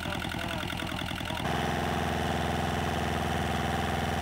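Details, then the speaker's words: Replacement inboard diesel for an Etap 30 sailboat, run in the workshop with the exhaust off: about a second and a half of cranking, then an even, clattery diesel beat that holds steady; normal start and idle. "okay so as you can hear probably in the background and hopefully you can still hear me over it the engine is actually running which is the first time that we've ever had an inboard engine run for us"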